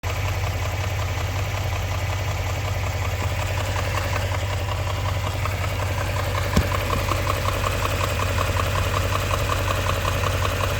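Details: Idling car engine with a steady, sharp knock at roughly three beats a second over a low rumble; engine knock.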